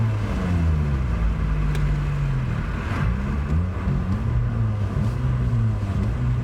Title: '03 Sentra Se-R exhaust leak